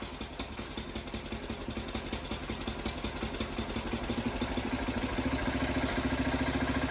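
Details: John Deere 300 garden tractor with ground-up rebuilt Kohler K341 single-cylinder engine, start before carburetor fine-tuning, engine held by three bolts: regular thumping picks up and settles into a steady run. Normal running.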